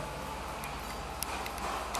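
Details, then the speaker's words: No-frost refrigerator defrost timer tested in series, mic held close: faint light ticks at uneven spacing over low mains hum, one of the two normal sounds the running timer makes; working properly. "ये जब चलता है तो चलने के बाद इसमें दो आवाज़ आती है।"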